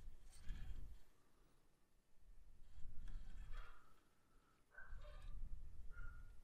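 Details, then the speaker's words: Atlas 6x6 crawler on its stock ESC: soft low motor growls surge every couple of seconds instead of a steady pull, struggling to take off. Poor, jumpy low-speed control. "it's just that jumpy like it and you can hear it struggling trying to take off"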